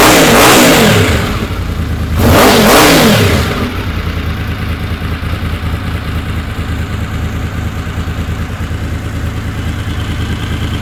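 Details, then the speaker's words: Honda VFR750 after carb rebuild with 40 jets (stock 38), restarted once the carbs were filled with fuel: two quick blips climb and drop cleanly, then a smooth, even idle; picks up revs quicker; normal throttle response. "so let's try this again from start [Music] sounds like she's picking up quicker"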